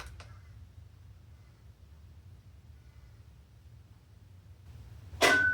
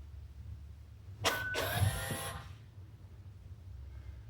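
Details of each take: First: 2021 Hyundai Elantra CN7A 2.0 L, electric parking brake commanded into brake pad change mode with a Foxwell bi-directional OBD2 scanner: one short click and a split-second whir instead of a full wind-back. The motor fails to retract. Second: 2021 Hyundai Elantra CN7A 2.0 L, electric parking brake commanded through the assembly check with a Foxwell scanner to return to the normal service position: a short, smooth whir of about a second ending in a clean stop. The motor runs normally.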